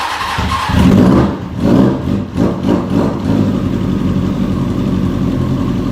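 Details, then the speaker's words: Hornet motorcycle in a beginner rebuild, first start after build and smoking: catches and idles with uneven, lumpy pulsing; misfiring rough idle, owner suspects the idle adjuster knob needs tweaking. "so as you can hear it is misfiring it's idling kind of rough I just think I just need to tweak the idle thing a little bit"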